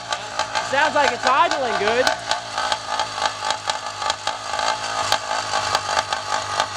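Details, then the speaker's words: 80cc Walmart motorized bicycle two-stroke after rebuild with new carburetor and exhaust, first run: revs up and drops back cleanly, picks up crisply with no misfire or rattle; runs healthy. "oh all right sounds like it's iing good"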